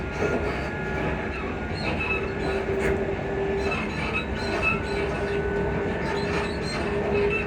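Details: Class 334 (334031) electric train on a Bathgate service: steady rolling rumble with thin recurring high squeak coming and going, likely suspension.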